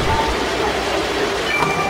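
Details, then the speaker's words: eMachines ET1861 desktop CPU fan, removed and checked: steady loud rush of air as it spins flat out after starting slow; noise at this high speed is normal, fan deemed fine. "ถ้ามันหมุนเร็วจี๊ดเลยเนี่ยครับถ้ามีเสียงก็ถือว่าปกตินะครับถ้าหมุนเร็วจี๊ดอะไรแบบตะกี้นะครับจะถือว่าพัดลมปกติครับ"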